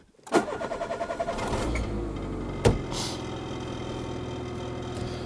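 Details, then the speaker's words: Rescued scrap car's petrol engine after a new, larger battery was fitted and the fuel pump primed electrically: brief rhythmic starter cranking, then it catches and settles into a steady idle on a normal first start. "Alors, on va pas crier victoire trop tôt, on va laisser chauffer. Mais pour l'instant, je suis très content."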